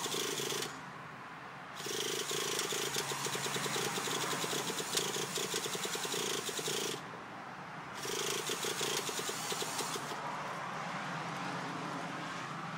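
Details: Traxxas T-Maxx RC truck before a new glow plug was fitted. Short bursts of fast buzzing spin separated by pauses, never catching or running: cranks but won't start, cause suspected, not confirmed.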